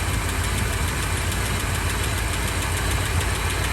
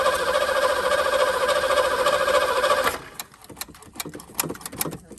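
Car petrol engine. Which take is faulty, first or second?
second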